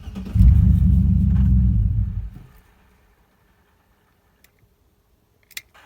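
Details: 2006 Trailblazer SS after replacing faulty ignition switch that caused stall, no crank and reduced engine power light: engine catches quickly, settles into deep steady rumble for about two seconds, then shut off; normal engine start.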